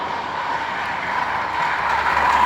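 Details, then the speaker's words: 2015 Hyundai HB20 sedan, 1.0 12-valve, 30,000 km, idling with clutch pressed: a steady, hollow whirring roar that swells slightly. Water pump with a broken shaft, leaking out. "Ela quebrou o eixo, galera. Então, ele quebrou o eixo da bomba d'água. Um barulho forte, né?"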